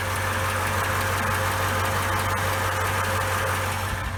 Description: I hope this video shows how the 5.7 sounds after its been warmed up, still has a diesel "clatter" to it but I think its quieter than when cold.